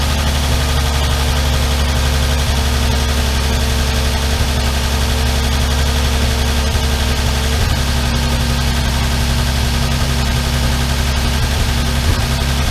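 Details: Armstrong Siddeley Star Sapphire special, hemispherical head, cold on choke just after first start in probably over 40 years: deep steady idle with a faint, uneven light ticking on top. All tappets a bit loose and need resetting.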